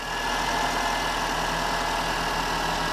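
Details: Mini One petrol engine after PCV valve replacement: even steady idle, smooth hum, no whistle or hiss from breather; normal idle.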